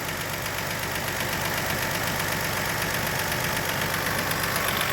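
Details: 2002 Toyota Highlander idling with the scope and amp clamp on the factory coil before the aftermarket coil is compared. Its steady, even idle has a regular beat and no skipped firing, so the engine is running smoothly.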